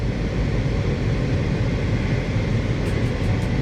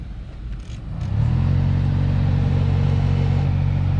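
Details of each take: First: 2015 Honda Civic heater/AC blower fan after fix: previously thumped or vibrated with fan on, blower assembly checked for debris and reinstalled; now smooth, even low rumble with engine running, no rattle, flutter or rubbing, nice and quiet. Normal blower operation. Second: 2015 Honda Civic heater/AC blower motor behind the glove box, before the fix: fan spins up to a deep droning hum with a throbbing thump and vibration from debris unbalancing the fan wheel.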